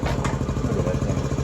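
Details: 1979 Honda CT90 Trail 90 after rehab, carburetor slide swapped and battery fitted. Quick, regular single-cylinder putter, about thirteen pulses a second, steady with no stumbles; idling cleanly.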